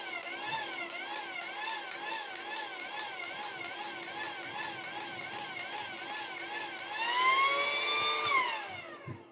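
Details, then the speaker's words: Battery-powered pool pump switched on after the inlet was cleaned and lubricated, coming on straight away: even pumping beat about four strokes a second with the motor note wavering on each stroke; normal pump operation, fault suspected to be a connection issue. "So if I switch this on now, oh, it's coming on straight away now. Oh, wait there. So it seems to be a connection issue, doesn't it?"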